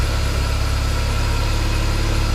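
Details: 1995 BMW E36 318i after replacing the auxiliary drivebelt deflection pulley next to the alternator, which caused a squeal at idle: steady, smooth idle with an even hum and no belt squeal or chirp; fixed.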